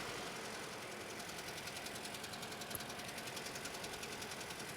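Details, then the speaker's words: Toyota Scion bought used, suddenly running poorly; owner already fitted new Duralast coils. Uneven, rough chugging idle with a rhythmic stumble and tick about 2.5 times a second; codes for cylinders 3 and 4, misfiring. "and chugging and chugging like it's running pretty rough"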